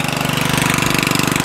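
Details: Murray 14.5hp 42" widebody LT lawn tractor after ignition rewiring and solenoid ground fix, lights on, charging 13.5–13.7 volts: quick, even single-cylinder thump about twenty beats a second, no misses or knocks; normal running.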